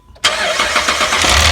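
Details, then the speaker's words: 2010 Jeep Liberty 3.7 at startup: a loud, bright clattering rattle believed to come from a cheap aftermarket timing chain tensioner fitted at a chain replacement. The tensioner was seen moving up and down and was swapped. "see how it was moving up and down when he first started turning the motor over we believe that that's the problem and that's where that noise is coming from"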